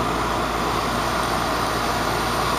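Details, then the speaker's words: Goodman heat pump outdoor unit after repairs for control-board failures caused by improper 24 V control voltage; steady fan and compressor whoosh, quiet start, no knocks, rattles or surging; normal running. "which is pretty good for Goodman and everything's running fine so I'm a happy camper"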